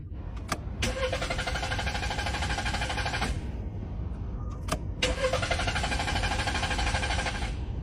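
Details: Car that won't start and has had high fuel use once running, despite the throttle cleaned and the spark plugs, ignition coil and fuel pump replaced: two even cranking bursts of about 2.5 seconds each that never fire; crank, no start, cause unconfirmed.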